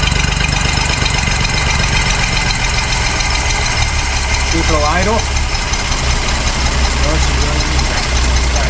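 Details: 1966 Ford Mustang six-cylinder barn find, unrun for 40 years, after an open vacuum port was closed: steady deep rumble at idle on its own, a touch lumpy but even, no knocks.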